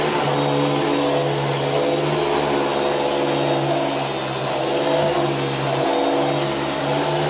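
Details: Beam central vacuum power head after belt replacement: steady even whirring hum at constant pitch, no rubbing, slipping or chatter; brush roll spinning freely, normal running.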